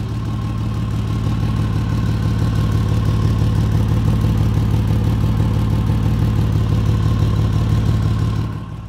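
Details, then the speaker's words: 2004 Ford Ranger petrol engine idling: a deep, rhythmic "blump blump" puttering from an exhaust leak just ahead of the flex pipe. "so basically what's going on is exhaust is able to escape right in this area right here and it's kind of causing a puttering kind of"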